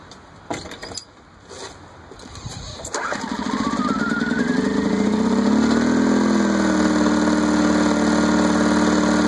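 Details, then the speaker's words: Champion generator that stalled after refueling, repaired by cleaning water and sludge from the carburetor bowl and crud from the main jet: after a few pulls it fires and holds a steady governed speed with no hunting or surging. Runs properly. "so that was the whole problem little water got in there a little bit of junk when I refueled it caused it not to run just take it apart clean it up put it back together and it's running again"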